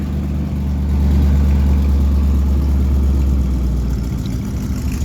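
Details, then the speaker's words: 1971 Chevy Cheyenne C10, 350 with dual Cherry Bomb glasspack exhaust, cold morning start: lumpy deep cold idle that sags and dies; cold engine stalling at idle. "watch him kill it oh yeah I figured that was gonna happen"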